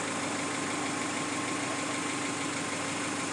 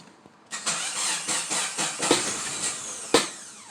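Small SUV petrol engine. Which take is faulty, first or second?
second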